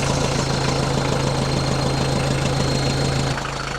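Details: Kubota Saturn X24 small diesel tractor idling after new alternator belt fitted for charging-light fault: even quick clatter and steady low hum, warning lights off; old alternator was noisy, possibly brushes.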